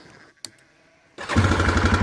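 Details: Yamaha Grizzly 450 ATV, 6100 miles: click then fires into a quick even single-cylinder beat with light tappety edge, blipped on throttle; runs healthy.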